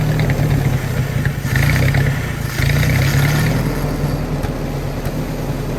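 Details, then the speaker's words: Willys-powered 120/240V 52 A Army skid generator, electric fuel pump, fresh fuel: low, slightly irregular chugging as engine finally catches and settles after cranking; hard starting, runs only with choke held on, carburetor rebuild planned. "it runs and i see why the previous owner had this wire on here if you trace this sucker back if you hook it up here it holds the choke on so the gentleman was telling the truth it did run but only if you held the choke on"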